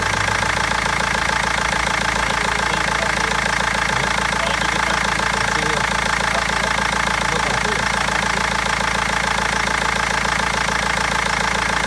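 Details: BMW 320d diesel idling: sharp, steady clatter about three and a half knocks a second over an uneven, misfiring idle; injectors or lifter suspected, garage and seller unable to find the cause for over a month.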